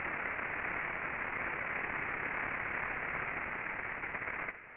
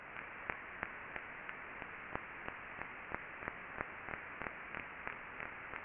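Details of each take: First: Ultrasound listen (SDT LubExpert) on a rolling bearing after greasing: the loud friction hiss drops off sharply, the ultrasound level falls, and only a clean background noise remains. A properly lubricated normal bearing. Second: Ultrasound listen (SDT LubExpert) on a rolling bearing after greasing: sharp regular impacts about 1.5 per second over a steady hiss reveal a bearing defect.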